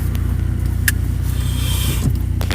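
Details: Honda H23A VTEC engine with a broken exhaust flex pipe: deep, loud, throbbing exhaust rumble at light load from the exhaust leak; engine still rips.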